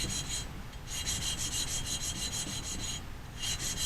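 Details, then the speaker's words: Valve job, hand-lapping a valve into its seat with coarse compound using a suction-cup lapping stick: rapid gritty scraping in bursts as the valve is twisted back and forth; finer compound will be quieter and smoother. "hear the noise that's making as we go to what finer lapping compound it'll be less noise and everything will actually get smoother"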